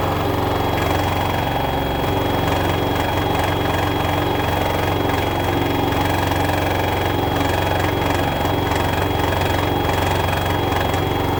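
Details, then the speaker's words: LG front-loader 10 kg wash/7 kg dry smart inverter direct-drive washer, loaded, at customer's home: loud steady jet-like roar during high spin with rapid buzzing rattle; top cover, dry duct and bearing checked fine; control board mounting vibrating. "This machine with the load is making while spinning time huge noise. It is very abnormal."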